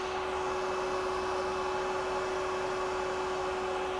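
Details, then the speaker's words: Turbo Acura Integra, new SPAL radiator fans temporarily wired to chassis harness auxiliary 7 without relays to cure overheating; steady loud whoosh with constant hum, no rubbing or surging, fans running properly and stronger than before. "Hey, that's definitely much louder and it feels more powerful. I'm glad to see that it even turns on."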